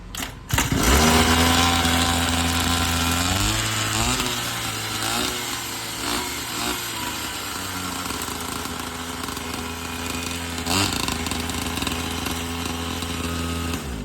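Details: Petrol-engine toy bike after service, fitted with a new battery to replace the damaged old one and previously returned unrepaired by another shop: engine catches, revs briefly, then settles into a steady, even buzz with no misses or knocks; normal running.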